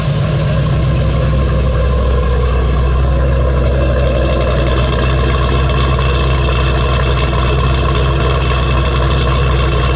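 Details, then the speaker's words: G48 engine after completing a new exhaust with tailpipes, in neutral: deep, even idle with steady low rumble, much quieter than before, slight belt squeal from the manual tensioner; normal idle. "oh wow it sounds really good wow [Music] it is much much quieter"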